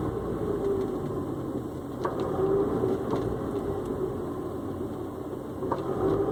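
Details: Honda S2000 engine running steadily while a dull clunk breaks through about every second, irregular in timing; clunk source not pinned down.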